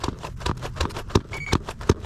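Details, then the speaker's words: Nano Talon Evo RC plane (stock motor, 4S 2200 battery) before maiden flight; dull clunks about three times a second as the aileron is worked by hand, the spar binding on the hinge instead of moving freely. "that clunking sound is The Binding of that Spar on the hinge I mean this should be moving freely there should be no clumps that you can hear it every time it's clunking"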